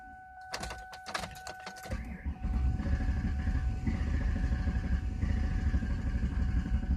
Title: Car won't start